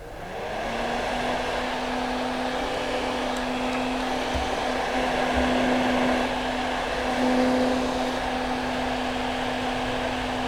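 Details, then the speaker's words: Exhaust fan that was humming, after disassembly and oiling the shaft bearing: steady whoosh with even low hum holding constant once spun up, no rattle or grind; now spins more briskly, running smoothly. "Даже чувствуется, что вращаться он стал бодрее."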